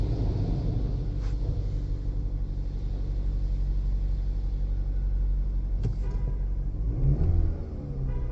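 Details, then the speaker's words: 2013 Chevy Malibu 2.0L turbo shaking, with a flashing check engine light; the scan tool shows cylinder 3 with the most misfires, 50,000. Uneven, loping, stumbling idle; misfire. "okay and we're going to start the vehicle again and we're going to monitor which cylinder have the most oh shoot number three got the most 50,000 misfires wow okay that should be be pretty easy"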